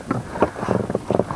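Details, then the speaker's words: Pelican boat oarlocks, which squeaked badly last year, after greasing with CV joint grease: rhythmic rowing strokes with soft knocks and water swish but no squeal; oarlocks now quiet. "удалось наша затея не скрипят уключины повторяю смазывали во смазка шрус для шарнира угловой скорости все пропало"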